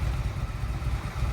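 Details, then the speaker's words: Yamaha XVS 1100 V-twin just restarted after carburettor service and valve clearance adjustment: low lumpy regular beat, no miss or rattle, healthy idle while airlocks clear. "so it will take a few miles before the oil gets circulated again and the fuel system becomes compact so that sounded pretty good"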